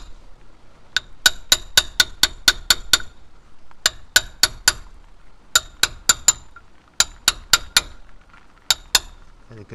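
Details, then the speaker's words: 1999 Land Rover Discovery 2 Td5 front end rebuild: seal gently tapped in with crisp metallic taps in bursts; the ringing note changes pitch once the seal seats fully home. "feel it and hear the pitch change. When you're tapping it, it changes note when it seats."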